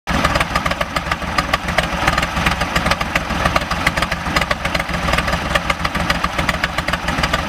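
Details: VW 1600 dual-port engine with rebuilt Solex 34 PICT-3 carburettor, new SVDA distributor, cap, rotor, wires and plugs: idle still stumbles with irregular sharp pops, two or three a second, no steady beat; rough misfiring idle.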